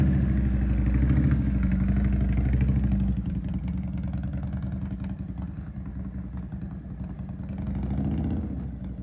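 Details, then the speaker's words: Harley motorcycle that sat for years, brought back to life: lumpy V-twin idle with throttle blips and a loose mechanical clatter underneath, plus electrical issues with lights flashing; engine rattle, source not yet found. "Well, it definitely sounds great. Sounds like there's a lot of rattling and some electrical issues we gotta fix."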